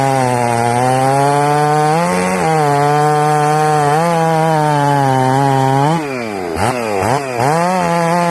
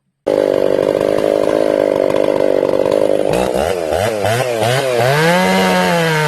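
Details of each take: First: Ported Jonsered 630/266 chainsaw built in winter, earlier air leaks and carburetor issues solved, cutting wood two weeks before a later crank/bearing failure: strong, steady high-pitched scream that bogs slightly and recovers in the cut; healthy running saw. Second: Ported Jonsered 630/266 chainsaw, warmed up and tuned in about 110-degree heat, cutting wood: scream sags and surges unevenly, bogging under load and won't hold tune; crank or bearing failure suspected.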